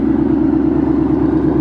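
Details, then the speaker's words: Supercharged 2013 Ford Mustang GT V8, back after a month of repairs and tuned to quiet down cold starts: deep even burble at steady idle, regular firing pulse, no misses or knocks; loud but tamer; normal idle. "but it's pretty tame now like you said it is loud but it's definitely a lot more tamed"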